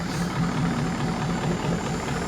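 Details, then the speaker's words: Rare big-power semi truck diesel with mechanical plunger injectors, idling warm after an earlier miss cleared up: a deep, even clatter and steady low rumble with no skips, running smoothly and charging. "Jeez, it don't sound bad. No, it sounds really smooth."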